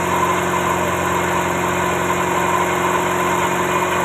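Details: Toyota Starlet at low idle during a timing belt and tensioner check. A steady, even hum with a constant faint high whistle and no slap, tick or flutter; the belt drive sounds healthy. Normal idle.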